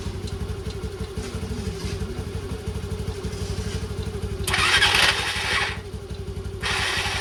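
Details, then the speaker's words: Old Bajaj Pulsar on a very cold day, carburetor refitted, choke on, fuel on reserve, self-start: rapid cranking, a couple of short rough bursts, then it dies; hard starting. "तोय बहुत बार try करने के बाद एक बार मुश्किल से start हुई थी पुटु पटुक करके लेकिन उसी टाइम बंद हो गई और उसने इतना बैक प्रेशर मारा कि जो अपना कार्बोरेटर है देखो यहां से बिल्कुल निकल गया इंजन में से"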